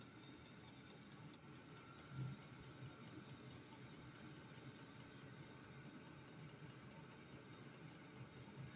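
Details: Amazon-bought diesel heater running on kerosene, first fire-up of the season, now warm after burning dust off: quiet steady fan rush over a low even burner hum, no pulsing or surging; it is running normally.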